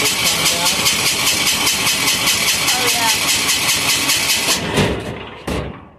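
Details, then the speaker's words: Amazon 186FA diesel engine on waste vegetable oil filtered to half a micron, after running out of fuel: steady cranking two or three strokes a second with no firing; likely an air pocket in the fuel system. "it's going to take a second to start because we ran it out of fuel and there's probably an air pocket in the system"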